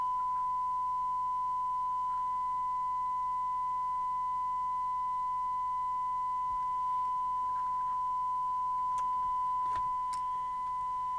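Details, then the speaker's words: Catswhiskers CW1580P UK CB27/81 mobile CB radio (DNT M40/LCL 2740 based, selcall boards removed) after extensive repair: clean, steady single-pitch received test tone, no crackle or distortion, then hiss; receiver working normally. "that's what you're listening to i'll take the tone off now we've got a hiss turn the volume up so you know you've got that that's one micro volt"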